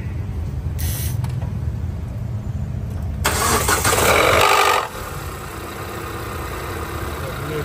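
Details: Proton (Suprima, Exora, Preve type) engine on a cool morning cold start: loud harsh clatter for a second or two, then steady idle; caused by low oil pressure as oil drains back past a faulty one-way valve.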